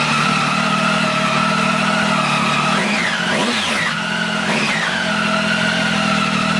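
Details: 2015 Triumph Tiger 800 XCX with newly fitted Fuel Exhausts slip-on pipe: steady throaty idle with quick blips rising and falling cleanly, no knocks or rattles; normal healthy idle and revving.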